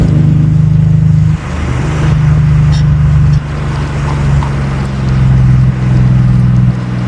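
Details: Nissan 300ZX Z32 (VG30DE) with a refabricated exhaust, after TPS reset and ECU swap: deep steady exhaust drone rising and easing slightly with throttle, no popping or misfire. Healthy, though the owner notes cruising drone and suspects an X pipe might fix it.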